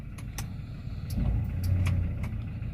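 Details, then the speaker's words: Toyota Fortuner 2.7 petrol on a 22 km road test after a throttle body replacement for a check-engine light and unresponsive throttle: an even low rumble while driving, no misfire or hesitation, only light cabin rattles; normal running, fault appears gone. "วิ่งมาทั้งหมด22ก22กแล้วปกติดีน่าจะหาย"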